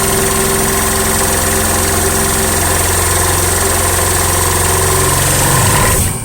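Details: Yong Heng air compressor, water-cooled, started cold: loud steady pumping thump that drags down in pitch and stops dead as pressure builds; the piston stalls under load and the fuse blows; it also starts slow.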